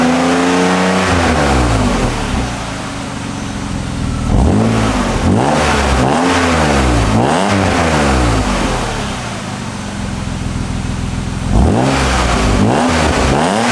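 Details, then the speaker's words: 1997 BMW E36 M3 sedan after fitting a refurbished stainless AC Schnitzer bolt-on muffler in place of the worn stock exhaust: several clean, smooth blips, still quiet, barely louder than stock, with no puffing, ticking or rasp; no exhaust leaks, normal exhaust note. "Ooh, I don't hear any exhaust leaks. Ooh, still nice and quiet."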